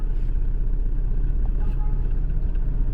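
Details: Honda Civic petrol with pickup drop, stalling at speed breakers, check engine light and codes P0352/P0135: rough, shaking idle with an uneven low thump about four times a second. Misfire from a failed ignition coil.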